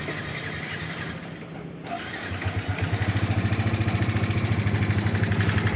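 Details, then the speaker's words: Yamaha New Vixion Lightning (NVL) motorcycle idling with a very rough, fast metallic "kletek kletek" ticking over the exhaust beat; the rough noise is from the cylinder head area, to be checked before teardown, with rocker arm/valve setting suspected. "ini suaranya kasar sekali kletek kletek kletek kletek kita akan cari dulu ya kita analisa di bagian mana yang bunyinya apa di atas di head atau di bak kopling ya"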